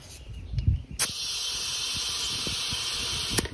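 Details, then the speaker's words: Honda SH150i front tire being installed; the tire was only briefly warmed in the sun. A steady sharp hiss of about two and a half seconds is air escaping where the bead hasn't seated on the rim on this side. "i can still hear air coming out from somewhere on this side so that doesn't work"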